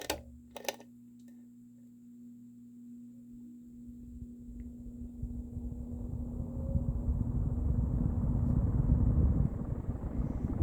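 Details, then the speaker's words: Early-mid 1980s Emerson Casablanca Designer CF-2036W 36-inch ceiling fan, K-55 stack motor, two speeds, started from off to high: faint steady motor hum, then a smooth whoosh building evenly as the blades reach speed; healthy startup. "And I'm going to do a 0 to high so you can hear the startup sound it makes."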